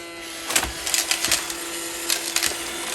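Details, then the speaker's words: iRobot Roomba that squealed badly, after cleaning hair off and blowing it out with compressed air: steady motor hum with light irregular clicks, no harsh squeal; running fairly healthy now. "that's a lot better that's way better that thing was really bad before i mean really really bad"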